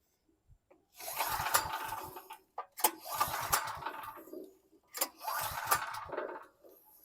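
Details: Free 2018 Briggs & Stratton 5750 W generator (model 030708-00), large engine: three long recoil pulls, each a rough whirring burst with compression puffs, and it never catches; cranks but won't start.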